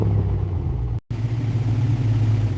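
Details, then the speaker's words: Ford Mustang 4.6-liter V8 after long storage, with fresh coolant and new air filter: deep, throaty V8 rumble holding steady and strong with no knocks or ticks; runs normally after sitting, though rough at first. "The 4.6-liter roared to life. That sound filled the garage. Throaty V8 rumble, proving that this engine was still alive after all that sitting."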